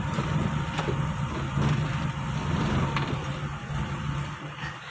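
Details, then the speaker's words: 1990s Toyota Corolla carbureted engine stalling at half clutch on pull-away: runs rough and uneven, then fades and dies as the clutch comes up; idle rpm set too low, timing and carburetor adjustment to follow. "Ah ini untuk Tengah kopling temen-temen jadi untuk setengah kopling langsung mati"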